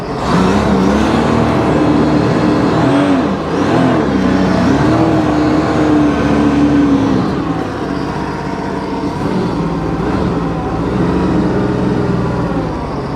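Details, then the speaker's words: 2009 Sea-Doo Wake 215, 215 hp supercharged 4-TEC, tested at the lake in neutral during an overheating diagnosis: starts well, with a strong, steady note rising and falling smoothly with throttle and no misses; overheating not reproduced, and weeds sucked up are suspected. "Starts good now."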